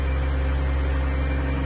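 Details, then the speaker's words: 2003 Chevy Trailblazer LTZ 4.2 I6 after rusted fuel pump replacement, with only about 5 gallons of fuel: even, steady low hum at idle with no misses, knocks or ticks; running, with a bad exhaust smell. "but it's running. It smells like trash coming out of that exhaust."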